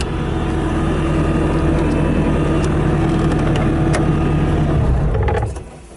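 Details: 2017 Bobcat T650 rubber-track skid steer loader, 2195 hours, idling with no error codes: a low, steady diesel rumble with an even beat and no knocks or misses, fading out near the end. A sound, healthy idle.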